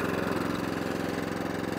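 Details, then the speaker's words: Vintage mower engine: even, steady idle with no misses or surging, then a clean change as it revs up to fast and settles back down to idle; a healthy engine. "so idle down lovely and then you hear it change revs up fantastic machine"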